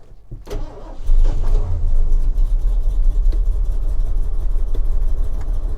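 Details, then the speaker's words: 1979 Ford F-150 Ranger Explorer with 460 V8, fresh oil and filter; cranks about a second, then catches and settles into a deep steady V8 idle with no knocking; normal start and idle. "It's alive. Ooh. I'm surprised it's still running right now. It almost wanted to keep on going."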